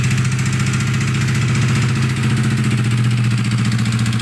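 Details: Yamaha NMAX scooter engine previously wrecked by water hammer (flood hydrolock), loud uneven idle with ragged lumpy beat around three or four per second, very rough and smoking heavily; running rough after hydrolock damage.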